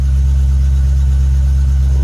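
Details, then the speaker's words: Caprice with LS swap, after changing injectors, IAC, TPS and MAP sensor (problem not fixed), heard on test drive in gear; deep steady V8 rumble, constant drone, no ticks or stumbles; normal running. "Ooh, sound pretty nice out there, though. Sound pretty nice out there. Deep over detail. It sound pretty nice out there."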